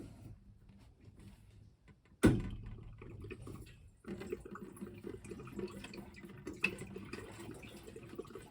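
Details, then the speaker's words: Irrigation backflow preventer being winterized in a basement: a valve thump, then uneven watery gurgles and glugs as air enters the pipe when the drain ball valve opens; normal draining. "don't know if you can hear that in there, but you can hear the air in the pipe and hear it gurgling coming down. So we'll let that drain and this one will be taken care of."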